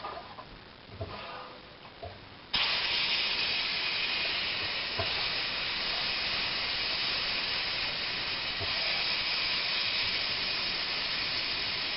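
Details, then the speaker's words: Loud steady hiss of air rushing out of the line with faint gurgling beneath, while re-priming a home well pump that lost prime after the well ran dry in a dry summer; water fed in slowly to purge the air. "You're going to get a blast of air in a second."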